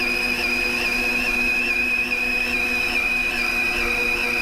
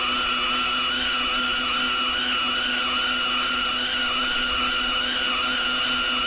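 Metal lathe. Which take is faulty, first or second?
second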